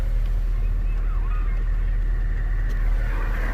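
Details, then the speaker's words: 2004 Honda Civic from auction with multiple-cylinder misfire, after new spark plugs and ignition coils reinstalled: starts smoothly into a steady, even low idle with no stumble or skipped beats; runs smooth on all four cylinders, normal idle. "we're gonna get this thing started moment of truth I'll bet started that real smooth no problem there we go"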